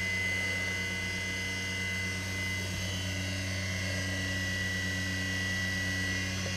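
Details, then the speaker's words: Kunming KXM10 cutter grinder (Deckel clone) on its first run, with 3-phase power from a single-phase Yaskawa VS Mini inverter and a 5-second soft start. The spindle hums steadily with a high whine near 5,000 rpm (advertised 5,200), with no knocks. Normal. "but as you could hear it runs like a top somewhere in the 5,000 rpm range I believe it was advertised as 5200 rpm I believe"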